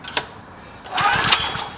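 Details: Several-years-old Generac recoil-start portable generator, hard to start after sitting months despite 89-octane fuel with Stabil and a new spark plug, choked: brief pull-cord whirr and rattle with no catch; engine turns over on the rope but won't fire.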